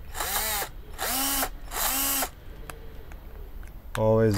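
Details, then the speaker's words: Parkside PBSA 12 D4 12 V cordless drill overloaded driving large screws on a 2Ah battery, housing hot: three strained bursts of whine sagging in pitch with a rough internal grinding rasp, plastic pieces ejected, drill dead. "is grinding inside This drill is out of business"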